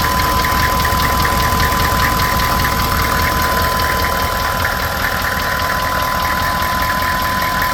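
At idle a sharp, regular tick-knock, about four per second, taps over the engine note; a clear knock whose source is still unknown.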